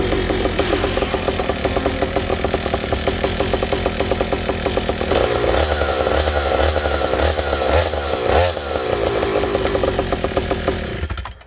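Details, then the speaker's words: Gasoline stand-up scooter two-stroke after exhaust was modified: loud, raspy, rapid-firing bark with harsh ringing edge, far too loud because the muffler was opened up too wide; carburetor to be tuned next. "นั่นแหละครับท่านผู้ชมตามเสียงที่ได้ยินเลยก็คือถ้าผมไปเปิดไอ้เสียกว้างเกินนะครับ"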